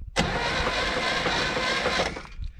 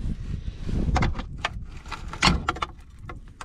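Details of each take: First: 1964 Chevrolet Impala 283 V8 that sat since the 1970s, plugs removed, with a replacement battery after the original seemed weak: brisk, even starter whir for about two seconds without labouring. Normal cranking. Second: 1964 Impala 283 V8, sitting since the 1970s, crank turned by hand: irregular gritty crunches and dull clunks; debris suspected in the oil pan.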